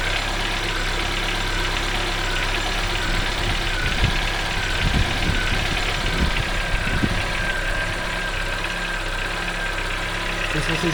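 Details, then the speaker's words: 2014 Chevrolet Onix 1.4 LTZ at cold idle in the morning: irregular sharp taps and knocks over the hum, occurring whenever started cold. Cause not identified. "O carro tá gelado pela manhã, ou durante o dia assim mesmo, quando ele tá gelado liga, ele faz esse barulho batendo bem aqui, ó."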